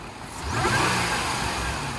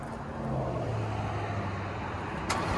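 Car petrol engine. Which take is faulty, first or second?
second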